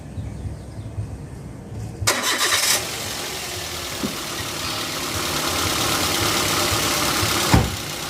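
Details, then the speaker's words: Petrol car engine (Avanza/Xenia class) cranks and catches cleanly, then settles into a steady, even idle with no knocks or misses, shown as a normal engine sound. "Ini suara mesin mobil dalam kondisi normal ya teman-teman ya"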